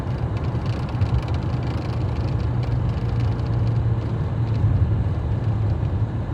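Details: Fiat Freemont running, with a deep steady rumble and dense low drone; an odd noise is present but its source is unclear.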